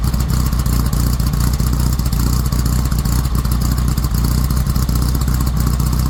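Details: VW Squareback with an air-cooled flat-four, the bug quiet-pack muffler replaced by a Dynomax race bullet welded with new 90-degree elbows: loud, deep, throaty drone with a rough burbling beat through the free-flowing exhaust; normal running.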